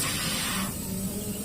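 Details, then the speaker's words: Polytron single-door fridge not cooling, suspected blocked system: after welding the capillary tube at filter dryer, power applied and air blows from the discharge line, strong hiss easing to steady rush; air flowing freely. "Oke saya akan berikan sumber terlebih dahulu dan di bagian jalur pembuangan udara di sini berhembus"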